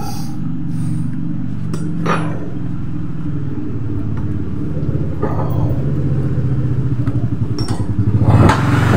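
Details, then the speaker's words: Honda automatic scooter after replacing the rear CVT pulley bearing: low steady drone rising slightly with throttle, a few light taps but no grinding; much smoother than the badly grinding sound before replacement. "ya ini jelas terlihatnya Bro setelah kita ganti lahernya lebih halus Bro dari sebelumnya Bro dari sebelum diganti ngerosok banget"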